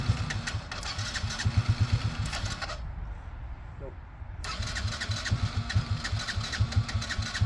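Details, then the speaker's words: 2006 Yamaha Grizzly 80 ATV, neglected, smokes heavily and needs a top end; carb cleaning suspected. Starter grinds in steady bursts with brief pauses, never catches; cranks but won't start. "Go. What a piece of crap. Don't want to kill the starter."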